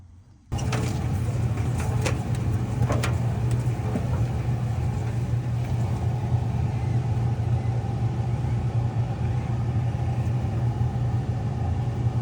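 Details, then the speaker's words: Whirlpool/Maytag dryer that was squealing, test with the drum held back by hand: steady low motor rumble continues while the drum stops easily; the worn belt slips on the drum, motor is fine; belt and rollers replaced. "All right, so pretty easily stopped. With a big load, the motor's still turning. What's happening is the belt is not able to grab the drum and rotate it. So it's not a bad motor."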